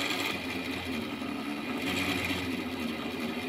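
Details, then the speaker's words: A new-build apartment's cold-water meter, downstream of a developer-sealed coarse filter, while the boiler fills: a constant buzzing whir with a low drone and a thin, high whine as water flows. The meter is noisy; the hot-water meter is not yet checked. "да вот такой шум создает этот счетчик когда вода через него проходит просто жесть"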